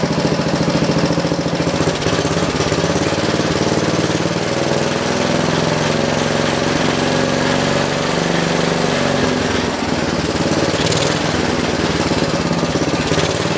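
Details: John Deere 112 round fender with Kohler K181 single-cylinder, before governor and throttle adjustment. Engine holds a steady drone, dipping and recovering, never climbing to crisp high speed; won't reach full throttle, governor adjustment suspected.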